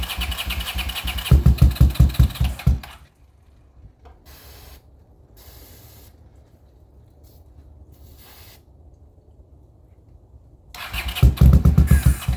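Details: 40-year-old Honda GL500 motorcycle on first start after rebuild, fed from a temporary gas bottle: the starter churns in short bursts, catching only briefly then dying. It fires on starting fluid, so it's starved of fuel.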